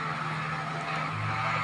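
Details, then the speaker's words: Voltas 1.5-ton split AC: loud constant roar with a low hum underneath and no clear rhythm; abnormally noisy unit, source not identified. "Friends मैं आपको बता done की यह split एक है जो की वोल्टास की डाल्टन है आप यह आवाज सुन रहे हैं बहुत तेजी से आवाज ए रही है"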